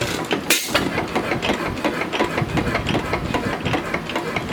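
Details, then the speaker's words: Small antique hit-and-miss engine on a cart meant for a 3 hp Fairbanks engine, run slow: slow thumping beat with sharp cracks and one loud bang; backfires a lot. "it runs really well it backfires a lot but you know"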